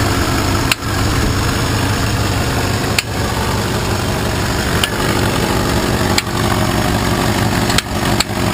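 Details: Engine idling after the ignition was hooked up: sharp single knocks every one to two seconds at uneven spacing over a steady idle, an inconsistent knock or tick of unknown cause.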